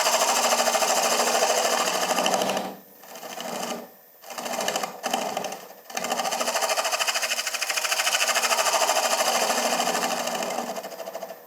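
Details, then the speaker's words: Wood lathe turning a small bowl's bottom with a carbide finishing tool, bowl held in Cole jaws: a buzzing cut with rapid chattering flutter about three times a second, broken by tool lifts, as the rubber jaw buttons flex and the workpiece vibrates. "you can hear the [Applause] vibration the cold jaw buttons are rubber and they will Flex a little bit"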